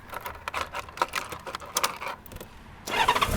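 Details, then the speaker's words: Honda Goldwing in gear, side stand up, clutch pulled in: clicks, then starter turns and engine fires promptly into steady run, normal start; with side stand down it won't crank, also normal. "it does start so let me put the side stand back down however if you look if i have the side stand down and pull the clutch in nothing happens it does not start that's normal operation"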